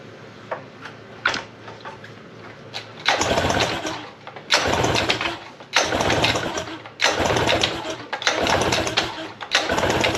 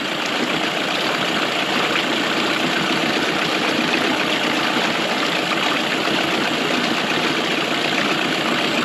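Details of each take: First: 1999 Mercury 15 hp two-stroke short-shaft outboard, compression test with throttle not held open: repeated short cranking bursts with even chuffing and no firing; about 100 psi per cylinder, healthy. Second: 1999 Mercury 9.9–15 hp outboard after carb rebuild, idling steadily with mixture screw set between 1¼ and 1½ turns out from seated; runs fairly cleanly, slightly rougher at 1¼ turns.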